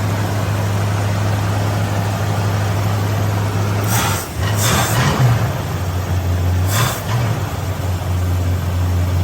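Steady low idle with a couple of short blips of throttle and a faint hiss; runs but the hiss suggests a possible vacuum leak.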